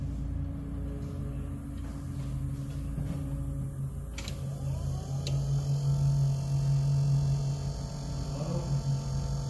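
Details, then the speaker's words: 1993 Dodge W250 1st-gen Cummins, replacement blower motor tested after 30-year-old original quit (voltage present at connector); steady low electric hum, pitch changing with the speed switch, no rattle or scrape. Normal blower operation. "Well, we just proved there this fan it works. It changes speed with the switch."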